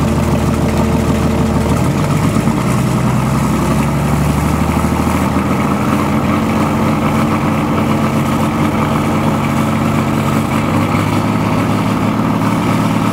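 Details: BMW/VM D190 marine diesel at first start after a rebuild following a broken valve, with a VM 2.4 liner, piston and head, idles lumpy and uneven, beat wavering and hunting; air drawn in past leaking injection pump front shaft seal.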